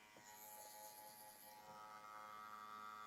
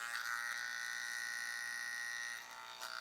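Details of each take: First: TATVIDA rotary tattoo machine at about 9.2–9.6 V with higher-membrane-density Edge Pro cartridge: steady, even buzz, constant pitch, no rattle or wavering; normal running. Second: TATVIDA rotary tattoo machine at 10.3 V with soft-membrane CNC cartridge: high, steady buzzing whine with harsh raspy edge, far too noisy to tattoo with; noise becomes acceptable around 9 V.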